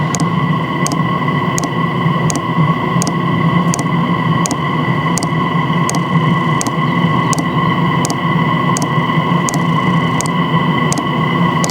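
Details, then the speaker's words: Standard Chinese diesel heater fuel pump, recorded close up before swapping to an ultra-quiet pump: crisp even ticks roughly every 0.7 seconds over a steady blower rush; normal fuel pump metering. "so this is what the diesel Heater fuel pump sounds like this is the standard diesel Heater fuel pump"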